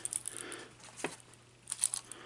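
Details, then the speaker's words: Loose SD card rattling inside a clock camera's housing as the unit is shaken: light, irregular ticking and skittering of a small card sliding around; the card got stuck when inserted in the slot. "It's an old body camera I use for the card on there that I use for backing up things."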